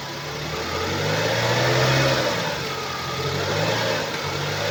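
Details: 2012 BMW 116i E81, N43B20A 2.0 L petrol, 122 PS, 119,875 km, running and revving: a dull knock rides under the engine note as revs climb. Cause is a failed connecting rod bearing on the crankshaft.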